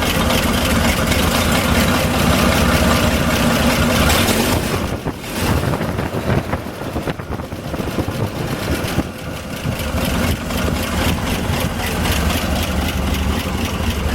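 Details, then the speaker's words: 1961 GMC 5000 in a midwinter startup on a warm day, idle believed set last year by tachometer to about 400 rpm per spec: slow, loping idle with an even low thump, no misses or knocks; normal. "if I'm not mistaken, I had a tachometer on it at the end of last year, and I think I set the idle for around 400, which was the recommended idle for the engine in the specs."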